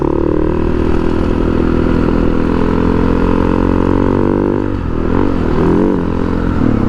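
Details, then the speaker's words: 2010 Husaberg FE 570 test ride under acceleration: revs climb, waver, flare and dip without steady pull, clutch slipping; rider suspects the clutch master, slave or clutch itself, possibly from lack of use, unconfirmed. "something's going on i don't know if just because of the lack of being used it's definitely got some slippage can't tell if it's the clutch"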